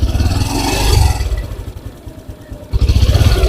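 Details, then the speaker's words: Honda Supra X 125 PGM-FI after cam chain (rantai keteng) and clutch replacement: low, steady, even idle with no chain rattle on top; the earlier ngecrek clatter is gone, engine sounds clean. Normal idle. "Jadi untuk suaranya ya tidak seperti kemarin suaranya Suara ngecrek di sini sudah tidak ya sudah bersih"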